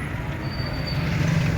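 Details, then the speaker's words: Electric rickshaw, rear wheel lifted: steady low grumbling rumble under throttle, forward and reverse, vehicle not driving properly; mechanic suspects rough gearing in the rear axle, not confirmed. "गड़गड़ाहट की आवाज आ रहा है और यहाँ हमारी car चल नहीं रहा है।"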